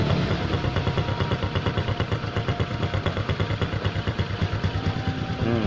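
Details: Honda Supra X125 idling smoothly after repair: even, steady putter with regular firing beat, no rough snoring; earlier snoring noise traced to a cracked head breather hose at the clamp disturbing the membrane vacuum.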